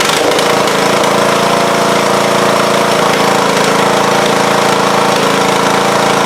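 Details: Mower engine started after its battery was charged: loud steady engine drone with an even blade whir from the deck, no knocks or misses; engine and deck running fine.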